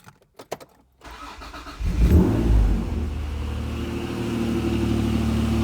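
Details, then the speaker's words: Acura NSX at cold-start idle, before timing belt, water pump and LMA service: engine catches, then a loose, uneven rattle at about four per second that goes away when warm. Owner suspects the LMAs, not the clutch. "I do just have kind of like a rattling at cold start idles, which I believe would be the LMAs because it goes away when the car warms up."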